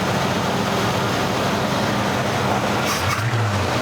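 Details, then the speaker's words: 1982 GMC C10 square body barn find, sat over 25 years, homemade propane setup switched over to gasoline carburetor: V8 holds a steady, even idle with no misses or knocks; runs smooth. "I know it sounds really good so I guess if you was to run out of propane and had a tank of fuel you could at least make it home on it"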